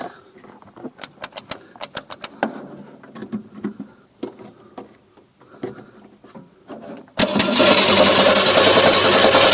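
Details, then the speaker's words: 1964 Mercury Comet being revived after long storage, new radiator, water pump and hoses: sharp clicks, uneven cranking bursts, then sustained starter churn that never fires; cranks, no start; fuel at carburetor uncertain, spark then lost. "Hey, it cranked. Alright. I wonder if we're getting any fuel up here at the carburetor."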